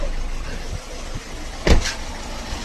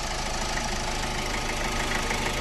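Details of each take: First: Ford EcoSport 1.4 diesel with the malfunction light on and poor pickup: idles with an uneven, shaky beat and engine vibration as one cylinder drops out; misfire suspected from injector wiring or an injector issue. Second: Ford EcoSport 1.4 diesel, after fault codes cleared, previously misfiring with vibration, pickup problem and malfunction light: steady, even idle clatter with no stumble; normal idle, no misfire.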